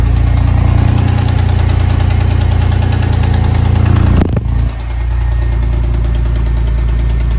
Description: Verdacht auf Kolbenkipper oder Lagerschaden an der zweiten Bank.